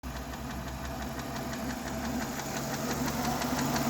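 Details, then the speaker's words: Renault Megane 2 K4M engine warm at idle: steady quick ticking, three or four a second, from the top near the fourth coil, quickening under throttle; hydraulic lifter suspected; timing, lifters and phaser already replaced, unresolved. "Стучит гидрит. И причем, вот если мы ставим палец, прям чувствуется биение."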